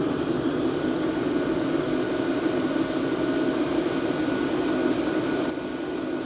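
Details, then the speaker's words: Diesel parking heater with the rear cover off, microphone close to the air inlet with no silencer: steady, loud rushing roar with a low hum, no knocks. "Although I also have to say, in terms of volume, the air outlet isn't really the problem in my opinion, but rather the air inlet."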